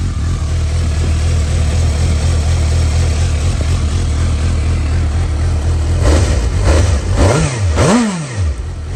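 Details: 2012 Suzuki GSR750, 18,000 km, dropped with cosmetic damage, Yoshimura carbon exhaust: deep, even idle throb, then three clean throttle blips rising and falling smoothly; healthy engine, normal revving.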